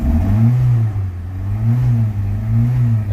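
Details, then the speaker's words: 2004 Chrysler PT Cruiser Limited, in park, check engine light flashing, previously overheating, new plugs: revs rise, hit a low ceiling and sag back repeatedly; engine won't rev past limit, cause unknown. "not get no higher than that when I Rim it up"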